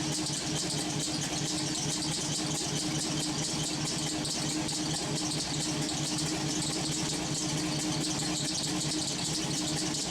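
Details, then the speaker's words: LS-swapped V8 with homemade headers, warming up, steaming heavily: steady even idle under lots of hiss, no miss or knock; running cleanly. "She seems to be running great. I mean, she's steaming pretty good."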